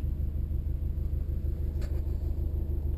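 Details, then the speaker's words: 2007 Subaru Impreza WRX wagon, 86,000 miles, just started with no check engine lights; low, even burble at a steady idle with a smooth regular pulse and no knocks or ticks; healthy idle. "Let's go around and start it up so you can hear it run. Starts up, and as you can see, there are no check engine lights"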